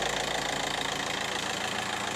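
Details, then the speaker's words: VW Caddy Maxi 1.9 TDI PD diesel in workshop after injector seal replacement: steady idle with even, regular injector clatter, no misses or stumbles; normal diesel idle. "Smoke out in the workshop. Sounds lovely. Yeah, you can turn it off now. I say it sounds lovely, but honestly, no PD actually sounds lovely."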